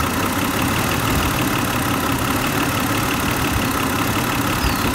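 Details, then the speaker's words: 2008 Hyundai Santa Fe 2.7L, P0305 cylinder 5 misfire, slow acceleration and shaking at stops; loud idle with an uneven, now-and-then stumbling beat; ignition misfire from a bad spark plug or spark leaking from the coil boot. "we either have a bad plug or we've got spark leaking out of that coil boot there's a front one it'd be easy to pop it out and check it but this is definitely has an ignition problem"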